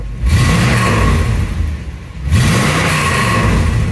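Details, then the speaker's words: 1965 Ford Thunderbird hardtop after installing new lower shift tube bushing: two clean throttle blips returning to deep steady idle, no knocks or misfires; healthy engine. "Let's give her a little shot of fuel here, see how she sounds."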